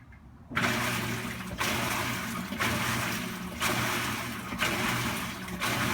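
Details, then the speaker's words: Maytag washer run in diagnostic test mode, testing motor, belt and drive: even swishing surges about once a second over a steady motor hum. Normal wash agitation. "come around to wash now so it will give us a few wash cycles which tests out the motor and the belt and the drive and so forth"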